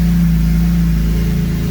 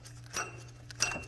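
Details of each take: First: BMW E46 M3 S54 engine, 139k miles, start after water pump replacement and cooling system overhaul, heater on, before bleeding air; steady even low rumble with no knocks or misses, normal idle. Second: BMW E46 M3 S54 at 139k: two sharp metallic clicks as the stopped water pump pulley is rocked by hand, showing play from a worn water pump bearing, found during cooling system overhaul with belts removed.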